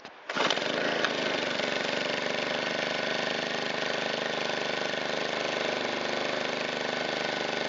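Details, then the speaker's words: Shindaiwa EB254 Hybrid4 4-stroke handheld blower after cleaned air filter, washed foam filter and new fuel filter, valves not yet adjusted: starts first pull, steady even high-pitched idle with no misses or hunting; runs fine, only fuel tank grommet leaks. "It runs fantastic and it's in like new condition, with a little bit of dirt on it."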